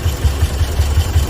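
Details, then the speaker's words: Toyota Vios 1NZ engine idling with the A/C on before repair: deep, uneven, lumpy thumps several times a second and heavy shaking; a misfire traced to faulty wiring. "เงียบนิ่งแต่ได้ยินเสียงสะดุดตันหยุดๆๆนะจุ๊บๆไม่เห็นภาพว่าเดี๋ยวเราเจอ[เพลง]ครับตอนนี้เราเปิดแอร์อยู่เครื่องยนต์จะสั่นมากนะครับ"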